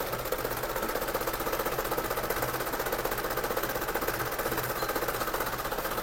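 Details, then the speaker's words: Isuzu Panther diesel with unstable RPM that rises, falls and sometimes drops by itself: rough idle with a lumpy, shaky pulse and heavy vibration, worse at part throttle but smooth when revved; caused by leaking injectors and delivery valves. "mesin bisa teman-teman perhatikan itu bergetar yang lumayan parah ya getarnya ini"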